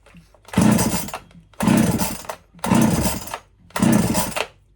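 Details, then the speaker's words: Erman EM5201 chainsaw (no fuel primer bulb), choke on and ignition on while diagnosing bogging down that the owner suspects is fuel-related: four hard recoil pulls, rasping cranks that never catch; won't start yet. "There's no fuel bulb on this. It's all brute force."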